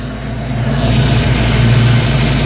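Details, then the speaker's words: 1989 Ford Mustang LX 5.0 V8 convertible, restarted after about three years down with rebuilt ECU: steady even low rumble, idling smoothly with no misses; a squeak possibly from the idler pulley. "but again just how smooth the car is idling"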